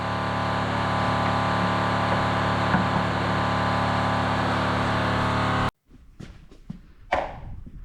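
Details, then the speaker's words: Electric Facet fuel pump on a Rover SD1 V8 rally car, sitting over 20 years, gives a loud, harsh steady buzz that never quietens as it should when picking up fuel, then cuts off; pump runs but isn't pumping fuel. "So, we determined that the fuel pump isn't actually working. Uh well, it is working, but it's not pumping fuel. Um as you can hear, it is quite noisy. These pumps, these facet fuel pumps normally quieten down when they take a when they pick the fuel up. This isn't doing that."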